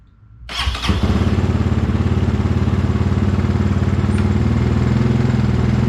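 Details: 2022 GPX FSE300R (Zongshen NC250 single) starting right after fitting Barnett Kevlar clutch plates and readjusting clutch slack: catches at once and settles to an even, steady thumping idle with no misses or rattles; normal start and idle.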